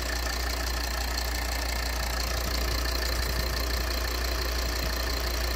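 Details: Volvo XC60 2.4D (D5244T10) diesel after repair of the vacuum control valve whose membrane had burst, causing knocking and pulsing: smooth, steady idle with even low rumble, no rhythmic knock or pulsing; normal idle.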